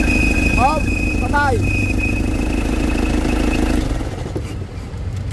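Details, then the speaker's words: Isuzu Crosswind 4JA1 diesel idling rough with sharp chirping squeals before shutoff; crankshaft pulley (harmonic balancer) rubber separated, timing marks shifted, pulley needs replacement. "naghiwalay na ay mo sir pag sira Crank shop Crank Oo sa ilalim oo aan o naghiwalay na yun oh ito Kita mo yung marking na yan nandon na sa kabila"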